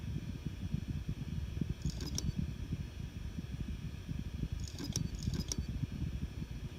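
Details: Seagate Barracuda Pro 8TB hard drive: over a faint low hum, sharp metal-on-metal clicks like scissors closing come in short clusters about every three seconds. Seagate confirmed the sound is abnormal.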